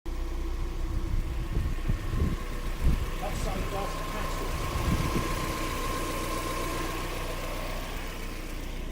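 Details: Mazda MX-5 NB 1.8S idling after sitting a year and having its electronics refurbished: steady, even low idle hum with a faint constant tone, no knocks or misses; idling perfectly.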